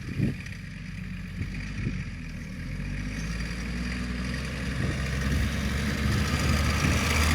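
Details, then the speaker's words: Rare Land Rover-based Esarco 8x8 truck with old VM diesel, moving under its own power for the first time in 25 years, diffs not yet fully free: deep, steady drone builds smoothly as it pulls away, no knocks or misses. Normal running under load. "sounds awesome didn't it got a headlight on man"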